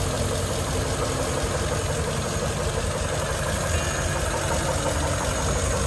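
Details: 1941 Ford truck flathead V8, started after about six years of sitting, with the clutch fused and one rear wheel raised: a low, even idle with a soft burble and no ticking or knocking; it is running healthily and responds quickly to throttle blips.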